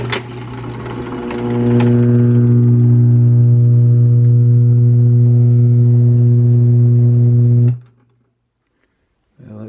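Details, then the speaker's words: Vintage 1956 RCA 7-TR-2 reel-to-reel tape recorder from a thrift store, powered through a kilowatt meter: a loud, steady, buzzy low hum starts, holds, then cuts off cleanly. Nasty hum, one of multiple problems. "that's quite an adventure. Makes a nasty hum. So it looks like this has multiple problems."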